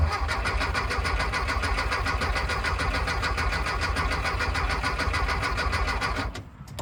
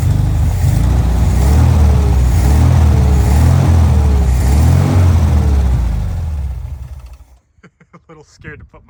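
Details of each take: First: Long-sitting 1974 VW Thing: starter cranks steadily at about three and a half turns a second, seems to build oil pressure but never fires; ignition points found corroded. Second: 1974 VW Thing air-cooled engine after freeing a throttle stuck wide open, running on fuel in the float bowl: deep even thrum, throttle blips rising and falling cleanly, scat exhaust; runs normally.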